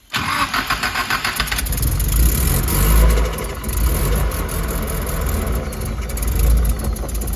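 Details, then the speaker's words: Nissan S14 first start after sitting, nearly out of gas: quick cranking catches into a rough, uneven idle that rises and sags; loping idle, gauge reading better. "Yo, it's reading itself though now. Or who? What's reading? Where it should Oh be. yeah, it's reading better. Yeah, because it's loping."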